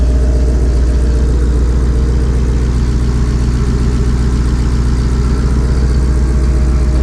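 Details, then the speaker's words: 2020 Ford Shelby Mustang GT500 V8 after installing a 3.8 Whipple supercharger with 65 mm pulley, warming to operating temperature for the thermostat to open: heavy, even idle with steady low lope, no ticks, misses or rattles; healthy. "so all right so at the moment everything looks good we really needed to get it up to uh we need to get it up to operating temperature here let the uh thermostat open up"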